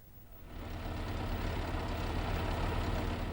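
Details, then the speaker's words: Petrol car engine idling with a light, busy clatter over the hum, diagnosed by the garage as a noisy timing chain — timing chain rattle. "A clattery noise diagnosed by the garage as a noisy timing chain."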